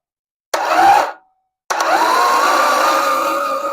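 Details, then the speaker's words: Toyota AE86 4AGE engine, starter bench-wired (power to solenoid, then starter): two short bursts of rising starter whine, no firing, spinning over freely; starter working but wobbling, then compression test finds cylinder one with none. "so if I only have positive to the solenoid you're going to hear that now if I power to the starter we turn over to the solenoid"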